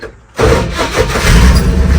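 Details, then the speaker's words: Worn-out old C50 dump truck, engine pumped with gas: a harsh, rattling, loose and uneven grind while cranking. The starter sounds like it's about to fall off; this is suspected, not confirmed. "Starter sounds like it's about to fall off."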